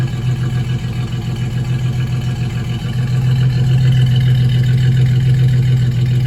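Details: 2004 single-cab truck V6, oil badly overfilled, steady idle with a regular low knock about 3.5 per second under the exhaust; owner wonders rod knock or torque converter bolts, unconfirmed, before planned V8 swap.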